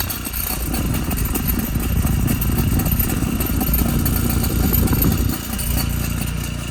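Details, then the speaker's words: 2013 BMW 328xi (F30) on a lift, idling: loose, uneven rattling near the rear exhaust, caused by an exhaust mount missing its retaining clip. "you can definitely do that i think we found it see that one doesn't have a clip"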